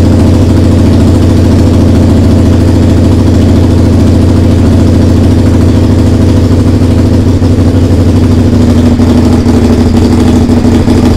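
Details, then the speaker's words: SV under restoration, just started after carbs refitted, TPS setting, regulator change and fresh fuel: loud, uneven, lumpy running with a harsh raspy chuff from the pipes. The owner suspects an exhaust leak. "alors ça démarre par contre ça tourne pas bien du tout ça tourne pas bien du tout et j'ai vachement de bruit au niveau de l'échappement là donc bon va falloir qu'on regarde ça"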